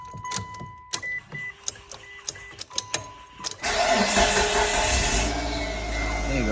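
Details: Mitsubishi Galant with no-crank, no-start from a loose ignition switch; with the switch pushed in and the key turned, dash chimes, a short crank, and the engine fires and settles into a smooth idle, starting normally.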